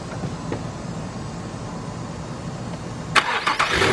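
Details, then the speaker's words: 2000 Nissan Maxima GLE that used to stall on starting, after throttle body cleaning and reconnecting a vacuum line: a quick crank, then it catches into a steady idle without stalling. The idle kicks up, showing the idle air control valve is working. "there we go and if you heard that just a second ago the idle kicked up a little bit which means I know that idle air control valve is doing its job"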